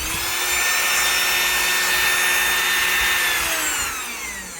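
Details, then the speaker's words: 3018 CNC newly installed replacement brushed permanent-magnet spindle motor, rated faster than the worn original, running without a bit: high, steady whine with smooth brush hiss, winding down evenly at switch-off; normal spindle motor running. "Wow, that sucker sounds like it's really turning a beat. Feels about the same when it stopped."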